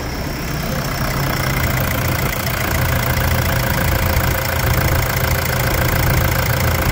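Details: Toyota Hilux 3.0 diesel after injector replacement and decarbonization following contaminated diesel, finished job test: steady, even diesel clatter at idle with smooth low rumble, no misses or uneven beats; clean normal idle.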